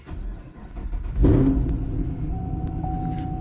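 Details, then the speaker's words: 2014 Chevy SS true cold start at about 40-something degrees outside after a battery fix: engine catches promptly with a rev flare, then settles into a steady, even cold idle. "Well, that fired up without issue."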